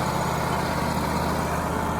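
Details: Wood-Mizer LT35HD sawmill engine after repair, idling steady and even with a constant low drone and no stumbles, knocks or surging. The no-start was blamed on a fuse blowing from gunk and moisture built up in an engine-harness connector.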